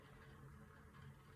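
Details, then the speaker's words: Boiler circulator pump in an 1800s farmhouse basement, triggered by the house thermostat calling for heat: faint, steady low hum with a soft whir and no knocking or rattle. Normal circulator pump running. "these guys kick on because they're hooked into your thermostat in your house."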